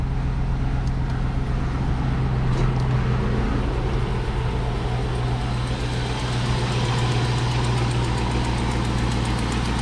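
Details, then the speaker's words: 1999-2006 GMT800 Silverado/Sierra V8 on first start after fitting stainless long-tube headers, Y-pipe and cold air intake; front header bolt broken (northern truck): steady idle with fast light ticking, about four per second; exhaust leak at idle. "of course you can hear the wonderful exhaust leak you can see I got a broken bolt there in the front I'll be addressing that eventually it's typical of these especially this was a Northern Truck"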